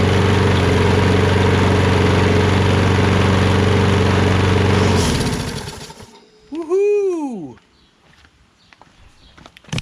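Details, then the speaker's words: Poulan 22-inch self-propelled mower with a Kohler XT675 engine, after a quick carburetor bowl clean: an even, steady drone for about five seconds before shutdown. Normal running; it now runs on its own. "as you guys can see it now runs great it runs great it runs on its own and all we did was a quick and dirty to get it going right"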